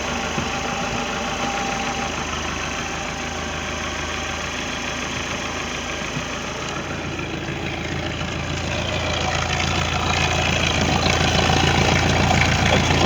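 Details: Ebbtide 140 boat with Mercruiser 3.0L, harmonic balancer visibly wobbling, drive noise suspected from U-joints or gimbal bearing; regular knock about three times a second at idle growing with revs, from a failing front motor mount.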